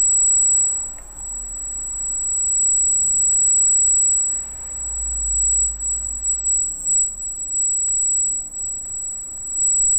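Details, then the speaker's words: Arris CM2000 brushless gimbal, fresh install with a GoPro Hero and FPV cable: thin steady high whine at one pitch over a quiet room hum, the normal gimbal motor squeal under power. "all right that's the heiress you can hear it squealing like crazy"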